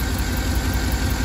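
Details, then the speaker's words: 2012 Cadillac Escalade 6.2L with a cylinder 7 misfire, compression test with that coil and injector disconnected. Cylinder 7 is below 25 psi because its lifters are stuck off (cylinder-deactivation lifters, TSB PIP 4568S). Idle has a regular stumble several times a second; misfire from collapsed lifters. "we're going to turn it on and look at this guys we have a compressor and look we have a oscillation in this cylinder because this cylinder has a compression and the cylinder number seven i don't have a compression"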